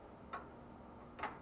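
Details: Washing machine with a new replacement lid switch; the old one had burned out, so the washer would not spin or drain. Two crisp clicks about a second apart as the switch is pressed; the lid switch is working properly.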